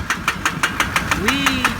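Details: 2002 Duramax 2500HD diesel with bad black smoke and oil level fine: sharp, evenly spaced knocks about six per second over the idle; hard diesel knock, engine versus injectors unconfirmed.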